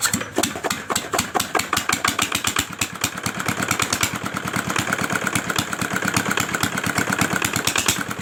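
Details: Old single-cylinder R175 diesel engine after repair of a broken crankshaft bearing: steady, crisp thumping at roughly seven beats a second, even and settled with no knocks; the engine runs healthy.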